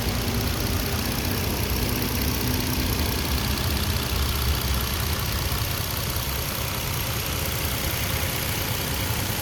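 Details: 2013 Nissan Xterra 4WD, 3.5 V6, one owner, 122k miles, idling; loud, steady, even idle with no ticking, knocking or misses; engine very healthy, responsive, revs up well.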